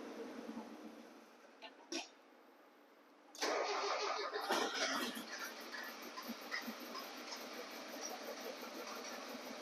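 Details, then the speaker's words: Spec Miata MX5 with a no-start, gas poured into the intake plenum: it cranks briefly, catches with a sudden roar, then sags and runs ragged and weak for a few seconds and dies, indicating a fuel delivery problem. "okay all right so this is what happened you heard it start all right it started for a few seconds and died"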